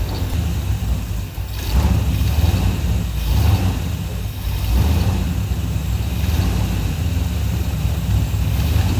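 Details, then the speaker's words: 1984 Chevy Silverado with a slight miss, ignition timing advanced, backfiring on re-crank when warm: deep, lumpy idle that surges and sags every second or two; rough idle from incorrect ignition timing. "Yeah, did it backfire? Yeah, that first time she re-cranked it, Yeah. that has to do with the timing."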